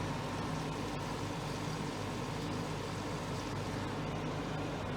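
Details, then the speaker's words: Portable air conditioner after repairing the overheating exhaust-side fan motor that previously let it run only minutes: steady rush of air over a low hum with no rattle; exhaust airflow working and cold air coming out. "it is working now if I lift that exhaust goes off obviously really that way"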